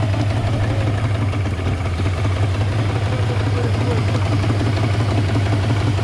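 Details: Yamaha 150 hp two-stroke outboard with a busy, uneven, loping idle of about three beats a second that never settles; rough idle problem.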